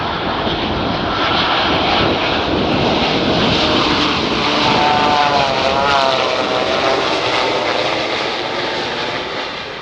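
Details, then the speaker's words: Boeing 787-8 (Air India 171 crash discussion): a steady prop-like drone with slightly wavering mid pitch over heavy airflow rush, likened to a deployed ram air turbine (RAT) spinning, which sounds like a propeller aircraft on approach. "Dalam video itu terlihat RAT dikerahkan dan suaranya mirip dengan yang terdengar dalam rekaman ini. Suara turbin kecil tersebut memang menyerupai pesawat baling-baling saat mendekati landasan."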